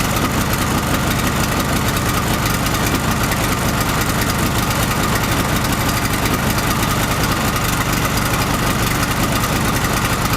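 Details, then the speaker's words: Chinese gasoline generator converted to propane, with the gasoline tap closed and residual carburetor fuel burned off. A steady, even engine drone with no misses or hunting; the owner warns against running it on a lean mixture. Normal idle on propane. "the rotors to stabilize, here it is already running on gas, so show the tap closed, the tap is closed"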